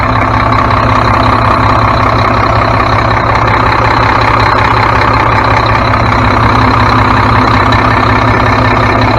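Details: Mack MP7 diesel truck idling right after turbo and actuator replacement, coolant refilled: loud, even clatter about 160 beats a minute, no misses, knocks or hiss, no major leaks; engine idles healthily.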